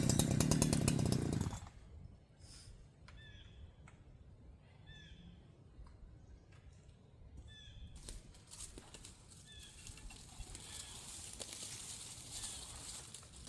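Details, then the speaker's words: Holzfforma G372XP chainsaw, several tanks into break-in, compression 148 psi: runs loud, then cuts out abruptly; idle was lowered too much, so the aftermarket ignition stops firing and the saw dies. "Yeah, I tried lowering the idle a little bit. I lowered it too much. What happens is you get down to a point where the ignition stops firing on these, especially the uh aftermarket ones."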